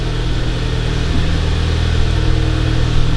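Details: 2011 VW GTI Mk6 started after siphoning out old gas and refilling. The pump primed, and the engine had been misfiring badly with the check engine light on from the bad gas. Now a deep, steady, even idle hum with no stumbles: a normal idle.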